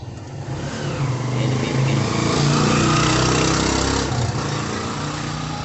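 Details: Isuzu 4KH1 diesel with a no-start complaint. Engine cranks, catches and swells to a brief rev, then drops to a steady, even diesel idle: starts and runs normally.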